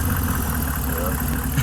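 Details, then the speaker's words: Truck just after driving hard through a deep puddle, owner suspects water got into the engine though the air filter is dry but clogged with dirt: deep, thick, lower-pitched idle running a little uneven; cause not yet clear. "It's thicker. Like it's lower pitch, lower tone."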